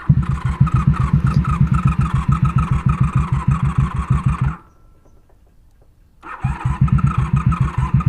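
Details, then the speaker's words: 1994 Honda Magna 750 VF750C after shutting off from running out of fuel, petcock switched to reserve: rapid even cranking pulses, a pause, more cranking without firing; it is fuel-starved, with a weak battery too. "all right guys i'm convinced of two things my battery is weak and my bike ran out of gas"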